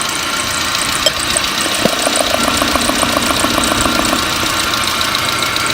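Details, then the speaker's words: Four-cylinder engine running, injectors heard through a stethoscope or screwdriver after the fuel pressure regulator checked fine: crisp, even tapping two or three per second, consistent across all four; injectors in good shape. "all four of these injectors are in good shape but let's go ahead and listen to all four so you can hear the consistency"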